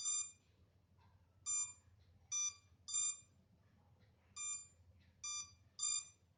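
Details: MJX Bugs 3 drone left on for minutes without transmitter connected: short bursts of high shrill beeping, about seven in six seconds, irregularly spaced; lost-signal locator warning alarm.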